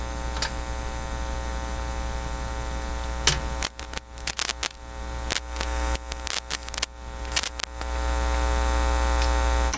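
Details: Philips PH202 vacuum tube console record player, phono cable fed to soundboard line input with ground wire unconnected: loud steady low hum with crackles and pops, no cartridge signal heard; probably a grounding fault, cartridge muting switch considered unlikely.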